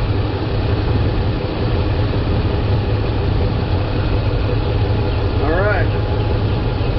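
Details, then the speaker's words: 2003 Dodge Ram 5.7L Hemi V8, about 200,000 miles, after power steering pump replacement for a leak: steady low idle with only a faint, brief moan as the wheel swings lock to lock; normal, healthy pump operation. "i'm going to take the steering wheel run it from lock to lock or stop to stop a few times see how it sounds and then we'll check the fluid level"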